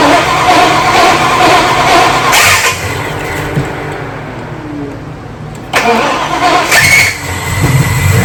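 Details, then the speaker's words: Foxbody with a modular engine swap, freshly rebuilt motor, fresh fluids, cold start. Rough, uneven cranking with lulls and fresh bursts as it tries to catch. The owner blames a starter not yet adjusted for the QuickTime bell housing; unconfirmed. "you're gonna hear the starter give me some trouble over here in a minute I haven't really adjusted it too much for the QuickTime bell housing"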